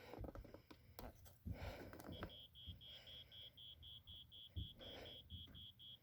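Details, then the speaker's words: 1987 Wake and Warn 2 smoke detector with rusted battery compartment, cleaned up, sounded via test/spray: thin, faint high-pitched beep about three times a second, barely above room noise. Weak smoke alarm sounder. "hm it's faint but it works at least we know they both work"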